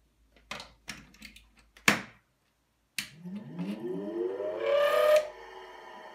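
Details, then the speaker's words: Original three-phase 380 V motor from a Micafil Swiss transformer winding machine, cleaned and rewired with a capacitor and direction switch: switch clicks, then smooth hum rising as it spins up and holds steady; runs fine in both directions. "so it seems that it's working fine in both directions"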